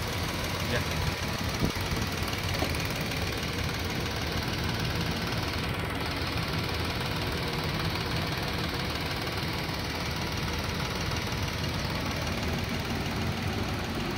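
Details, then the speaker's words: 2017 Nissan March manual, about 2,000 km, idling quiet and even with a steady low hum, no knocks or rattles; engine bay dirty but dry, seals still firm, no engine cover. "Suaranya bisa teman-teman dengarin, sangat senyap banget"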